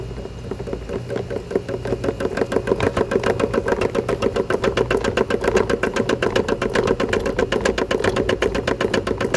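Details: Electrolux LPE17 washing machine, noise from the suspension: steady knock about four times a second over the drum hum, most likely worn or loose suspension rods.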